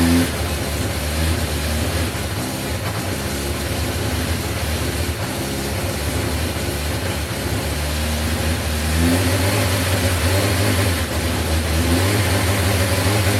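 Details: 1986 Yamaha FZ600 four-cylinder, first running after 15–20 years sitting, fresh oil, newly fuelled carbs: steady idle with smooth throttle blips that rise and settle cleanly; running normally.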